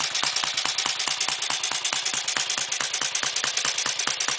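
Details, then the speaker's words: 1958 Triumph Tiger Cub, rebuilt with owner's own wiring: crisp, even single-cylinder firing at a steady quick beat with no misses or knocks. It almost always starts on one kick when cold, idles and pulls through the rev range with some power. Normal running. "You can tell it's running all right, has some power."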